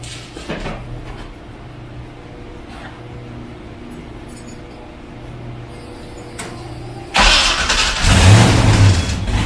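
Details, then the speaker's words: First start after installing MAC long tube headers, engine reassembled after lifting, old mufflers still on: after a few cranks it catches and runs rough and loud with sharp ticking puffs; owner suspects headers leaking at the head, bolts maybe loose. "well that sucked apparently they're leaking right off the head i think unless that's the way they're supposed to sound when you first fire them up"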